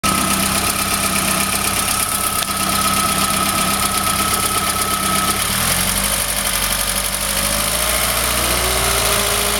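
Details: Golf GTI 1800 at idle: busy, uneven running with a faint whine that drops away and a rattly clatter on top. Abnormal engine noise of unclear origin.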